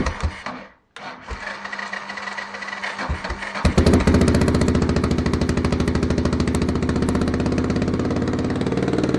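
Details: 1993 Yamaha XT 600 E (3TB) single-cylinder enduro that sat 6-12 years, started after carburetor cleaning with choke on and booster pack: loud, even open-pipe thump settling into a steady idle; normal running.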